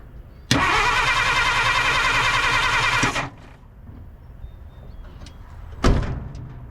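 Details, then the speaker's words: 1950 Dodge Meadowbrook, positive-ground, sat for unknown time, first try on unmarked battery: starter spins engine briskly about 2.5 seconds, even quick chugging; fast cranking suggests a 12 V battery on a likely 6 V starter; normal cranking. "um but uh the starter's working, awesome uh and turned over quickly. Because it turned over so quickly, that leads me to believe this might be a 12-V battery."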